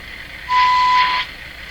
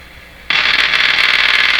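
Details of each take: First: Hallicrafters TW2000 World Wide radio after fixing an oscillation problem and replacing an IF transformer, during IF alignment: a clear steady tone comes through in bursts over light hiss, a clean IF test tone. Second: Hallicrafters TW2000 World Wide receiver during IF alignment, outdoor antenna just connected: harsh hissing roar with a quick flutter about four times a second through the speaker; noise suspected to come from the faulty outdoor antenna, not confirmed.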